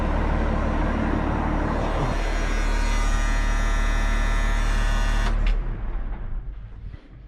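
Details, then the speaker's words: Road grader with rebuilt Cummins 8.3 diesel, pump drive removed from crankshaft rear to cure a knock: smooth, even diesel rumble at steady speed with no knock, then shut off and winds down; hard starting still unsolved. "Yeah, you just love to hear them run after you get them done."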